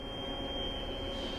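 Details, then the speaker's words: Bridgeport 3-axis CNC mill homing, with Z spindle up, X table left and Y table out: a quiet, steady high whine over a low machine hum as the table travels smoothly, no knocks or grinding. Normal axis movement. "in homing the spendo goes all the way up this is referred to as the z-axis up and down the table moves all the way to the left left and right is the x axis and the table comes all the way"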